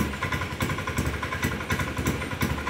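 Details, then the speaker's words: Honda Beat scooter running with rear wheel spinning: uneven pulsing beat stumbling every few tenths of a second, intermittent hesitation and misfire; TPS being checked, cause not found. "Ayan ang problema niya ay nahagok. Ayan tinatakbo."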